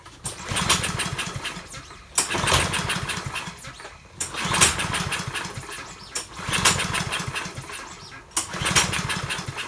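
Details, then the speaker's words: Dump-found Troy-Bilt 21-inch self-propelled mower, possibly Kohler engine, after used NGK plug fitted: five rope pulls about two seconds apart spin it but it never catches; no spark. "still nothing all right take this rope out of here so i can pull it and see if you got any spark"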